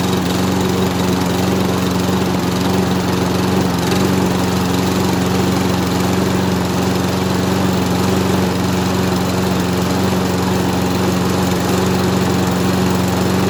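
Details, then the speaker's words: Mower salvaged from a scrap pile, pull-started: loud, slightly uneven small-engine drone at steady speed with a faint stumble and smoke. The owner suspects the exhaust is filled with oil. "there we have it it seems to run which is a result i strongly believe the smoke and oil we're getting is probably what i suspect the exhaust is absolutely filled with oil"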